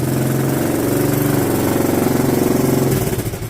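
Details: 1980s Honda Fourtrax ATV after budget revival, stalling traced to kill switch, exhaust welded but still some holes: single-cylinder thump at fairly even idle after second pull; healthy running quad.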